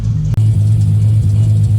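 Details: 1994 Toyota Supra MkIV 6-speed, 1251bhp Syvecs-tuned, after fuel pressure and boost leak work: steady, even low idle rumble with no misses, hunting or knocks; healthy idle.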